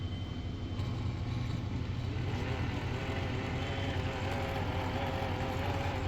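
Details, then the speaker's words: Pfaff Hobbymatic 807 sewing machine after fixing the rubber motor drive wheel flat-spotted from sitting: motor runs with a steady, even low hum, no longer buzzing, vibrating or rattling. "This no longer has the typical buzz for the uh FA Hobby Matic 807. This is what it sounds like now."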